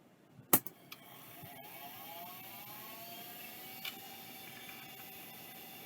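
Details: Vintage hard drive under test: sharp click, then whir climbing in pitch over about a second, settling to a steady even hum; drive spins up normally and works.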